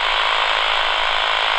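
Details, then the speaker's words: AM radio held over a Flymo 1200R robot lawnmower boundary cable far from the base station: dense rapid buzzing crackle from the cable's signal, so the wire is intact here, before the signal is lost at the contractor-caused break. "you still hear that buzzing it's going to be around here somewhere that we lose the sound"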